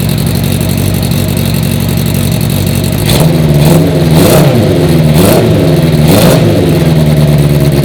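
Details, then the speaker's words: 1980 Honda CB650 four-cylinder bobber. Steady, even burble with a few clean throttle blips that rise and settle smoothly. It runs way better, even with the choke off. "Okay, it's running way better. Even when I turned the choke off, it sounded good."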